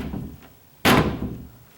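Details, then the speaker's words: Cabinet door in a condo being inspected shuts with one sharp wooden clack against the frame; worn, flattened 1/8-inch clear bumper pads no longer cushion it, possibly needing thicker 3/16 or 1/4 inch pads. "And I might have to put those on there if that noise is going to bother you."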